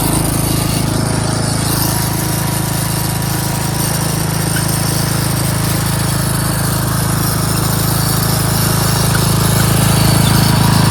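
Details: Craftsman 13.5HP 30-inch rear-engine riding mower runs, starts, drives and mows: a steady, deep, even engine drone holds speed under cutting load with no misses or surging. Normal running under mowing load.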